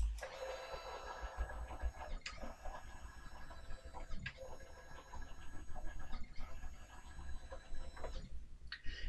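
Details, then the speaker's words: Sainsmart 3018 PRO CNC during GRBL tuning, acceleration $120 raised to 200: thin stepper whine rises quickly to steady pitch each pass, wind-up to top speed getting shorter; smooth healthy normal stepper traverse. "as you can probably hear, the wind up to get it to the maximum speed is getting less and less each time. And therefore, it just gets up to the top speed much quicker."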